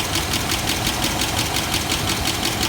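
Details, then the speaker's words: 1996 GMC 1500 V8, mostly unrun since 2016: fast metallic tick about six per second over the idle, owner thinks it worsened; slight smoke, overheating, not charging; cause of tick unknown. "We're just smoking just a little. I think the tick got a little worse."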